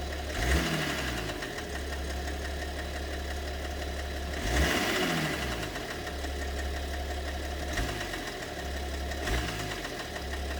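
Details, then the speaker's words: BMW 730d with M57 (306D3) diesel at idle; steady idle with occasional heavy irregular knock every few seconds, comes and goes; owner suspects possibly two cylinders, mysterious knock, source not pinned down. "Вот цокот появляется. Может, с двумя цилиндрами даже проблема. Шурупи. Вот еще один добавил. Все. Растворяется. Один остался."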